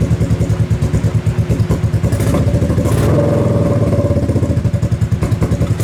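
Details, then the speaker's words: Kawasaki KFX700 quad, recently revived with cleaned carburetor, spark confirmed and timing chain checked, on fresh pump gas: uneven lumpy running with sharp pops backfiring into the intake as throttle opens; slightly more throttle response, cause unknown (suspects stuck valve or timing chain). "Still is backfiring into the intake. It's a little more responsive on the throttle at least."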